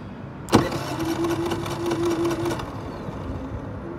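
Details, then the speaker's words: Brand-new Generac iQ3500 inverter generator, about two hours old, giving zero volts; started with no load and economy off, oil and fuel full: sharp start then thin whirring crank for about two seconds that fades without catching; hard starting. "it's doing its best well it started up just straight away before I didn't have any trouble starting until now you can hear it trying"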